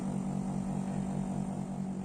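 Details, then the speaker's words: Split air-conditioner outdoor unit, cover off, original failing fan-motor run capacitor. The fan starts slow and stays slow, with a low drone pulsing about six times a second, and the compressor gets noisier. The low fan speed raises circuit pressure. "Observen que arranca lento y se mantiene en esa velocidad. Y también el compresor se empieza a poner más ruidoso."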